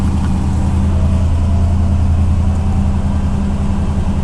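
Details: 1990 Cadillac, carbureted, cold start after sitting a long time and needing a tune-up: loud low idle with a slightly uneven pulse after a hard start; rough cold idle, cause unconfirmed.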